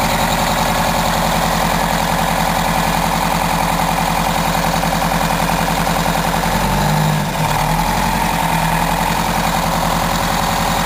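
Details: 1987 Wanderlodge PT40 rear-engine 8V92TA Detroit two-stroke diesel, after a cold start following about 5 months sitting, camera mic outside and overwhelmed: a deep, even drone with a fast steady beat and no misses or knocks; healthy idle.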